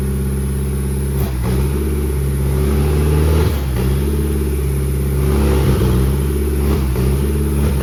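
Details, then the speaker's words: Just-bought Nissan SR20DET engine running on a pallet out of the car. Steady smooth idle with clean, even rev blips, no knocks or ticking; good oil pressure, no blow-by, a healthy solid runner. "sweet. That thing's a good solid runner."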